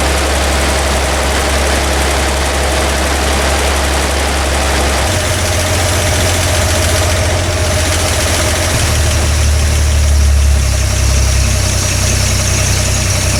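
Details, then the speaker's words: Toyota FJ40 Land Cruiser after new distributor, cap and rotor fitted (old mechanical advance wasn't advancing), base timing set good: steady even idle, smooth low rumble, no misses or knocks; high idle still being adjusted. "so new distributor cap rotor and set it up timed its base timing is good I high idle I'm playing with a little bit"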